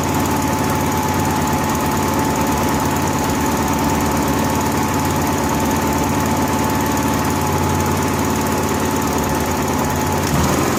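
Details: Honda gas-powered AEC welder generator with ongoing fuel-delivery trouble, running warm on a temporarily plumbed electric fuel pump jumpered to the battery: even, unbroken drone for eleven seconds with no surging, stumbling or dropouts. Fuel delivery keeps up and it runs normally.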